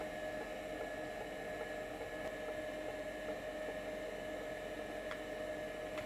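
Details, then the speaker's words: Vintage 5.25" Seagate ST-277N SCSI drive, converted to ST-277R RLL with an ST-251 MFM board swap, during a surface scan: quiet, steady spindle hum and soft, clock-like seek ticks with no bearing growl; the drive sounds healthy despite a few defects. "This thing sounds great. Hopefully you can hear it. The bearing is nice and quiet. The head's moving is just like a ticking clock. It's beautiful."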